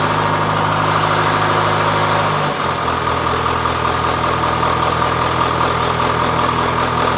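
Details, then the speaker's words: John Deere 410C backhoe diesel first started in winter after months sitting, battery terminals cleaned: drops from faster cold idle to lower steady beat, running evenly without misses. "all right well that makes me really happy that that fired up it's been a long time since I've started"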